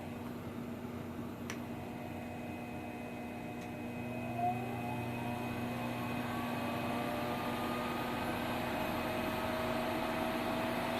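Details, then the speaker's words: Treadmill motor with torque control, for probably 1940s Delta drill press variable-speed conversion, running the other direction after reversing switch: steady, even hum with clean constant tone, earlier slight whine gone; holds speed smoothly, normal. "and now you notice that the little wine is gone and it'll run all day just like that"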